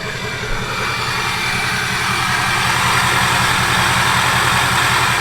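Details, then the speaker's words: 6.0 Powerstroke diesel idling just after programming an SCT BX tune, with the turbo recently changed: an even clatter pulsing about three to four times a second, no misses or knocks, not louder than before. Normal idle. "Don't sound no louder to me. Definitely don't sound no louder to me."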